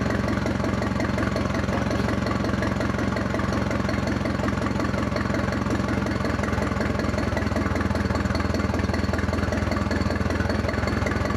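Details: Restored Ford 2000 tractor, running from a small temporary gas tank with a bare minimal setup and no wire harness after a new Motorcraft oil filter, settles into an even, steady low chugging idle with no knocks or misses.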